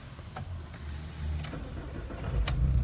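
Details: Volkswagen Beetle, winter cold start after topping off low transmission fluid: quiet cranking builds to a firm, steady low rumble as the engine catches and runs, a normal start. A sporadic transmission open-circuit fault code had been cleared.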